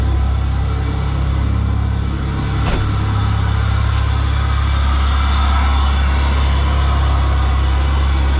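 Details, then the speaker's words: GM 3800 V6 after alternator replacement (battery light had been on), started to check charging at 14 volts: deep steady low rumble, no knocks, misses or squeal; normal smooth idle. "so let's start it alrighty so she starts up let's go see if she's charging 14 boats"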